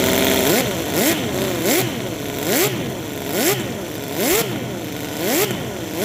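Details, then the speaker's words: 50 cc gasoline mini V12, overhead cams, coil packs, on a homemade dyno with MS3 Pro replacing the stock ignition module, rev limiter set: crisp idle with quick blips about once a second, pitch rising and falling cleanly; healthy running. "Sounds pretty good to me. It even idles and everything. I got a rev limiter."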